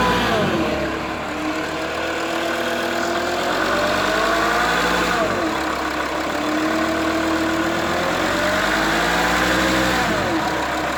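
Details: Mercedes-Benz W211 270 CDI diesel: droning hum from 1000 to 2000 rpm, with and without belt, shifting pitch with revs; starts well cold, no knocking; oil pump replaced without help; hum disappears when front raised 5–10 degrees; cause unknown.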